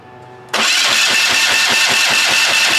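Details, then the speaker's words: Hatz 1B20 single-cylinder diesel on a military surplus pressure washer, run barely warmed up. It catches and settles into a steady thump near four per second under a harsh, hissy clatter that sounds plainly wrong. "what is that noise wow it sounds terrible"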